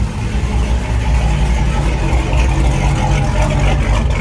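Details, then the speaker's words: Forged 392 HHP engine with a Whipple 3.0 L supercharger on the stock tune, first start after install, warming up to purge coolant air: a deep, steady lumpy rumble with an even cam beat and no misses or knocks. Idling cleanly, no longer smoking, no leaks so far. "And it's not smoking anymore, but you can hear the cam sounds really good."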